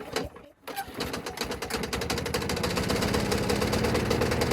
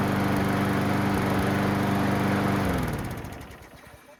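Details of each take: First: Junk Craftsman mower, new gas, oil and air filter: starts and runs steady with rough metallic clatter; changed blade adapter missing its retainer hardware through the bolt, leaving blade loose. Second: Craftsman mower after new gas, oil, air filter and correct blade adapter retainer installed, which cured earlier racket: even steady drone with no blade rattle or clatter, then winds down and stops; running smooth.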